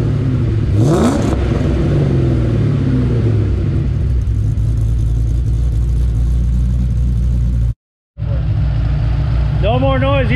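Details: 2007 Mustang GT 5.0 stroker with Manley internals and Todd Warren cams, after cam phaser lockouts fixed a rod-knock-like phaser knock when warm: revs sharply once then settles to an even idle with no rattle or knock; runs healthy.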